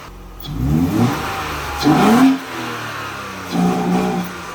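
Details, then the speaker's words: 1992 Mercedes-Benz 190E with M104 engine, after repairs: fuel poured in and engine blipped three times, revs rising and falling smoothly with no tapping or knocking; the earlier knock is gone, engine sounds healthy. "ბენზინს ჩამოვასხავთ, ვნახავთ აბა ერთი როგორ ჩამოდის ბიჭო, კაკუნის ხმა აღარა აქ"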